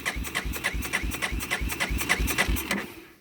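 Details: 1999 Yamaha Big Bear 350 4x4 ATV, likely sat outside several years, fuel on, in neutral: starter turns engine evenly at about three and a half beats per second, never catches, then winds down; cranks but will not start.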